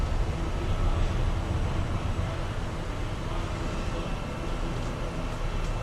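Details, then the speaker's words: 2015 Forest River Cherokee 304BH travel trailer: hydraulic slide-out pump keeps running as the next slide extends, one of three slides on this side. Steady low hum at an even pitch; normal operation. "that'll stop you here the pumps still going now the other slides coming out"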